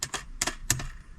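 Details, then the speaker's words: Jeep Gladiator while driving: sharp irregular clicks over low road hum from a loose cheap thin-plastic part of a dash phone mount rattling. "this i don't know if you can hear it is some kind of cheap thin plastic you can hear this thing rattle around while i'm driving"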